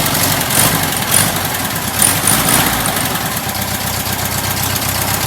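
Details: Air-cooled VW flat-four build, a tight motor with the generator light out: busy, rattly idle running steadily at even speed with no misses or knocks; normal idle.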